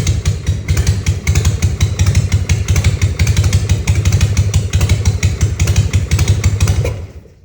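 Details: 1960 Harley FL Panhead, hard to start when cold. Carb spacer replaced, surfaces sanded flat, new Viton O-rings and clamps, timing and points verified, new plugs, float reset. Heavy, uneven thumps with missed beats, dying after seven seconds; any throttle kills it. Cause suspected, unconfirmed.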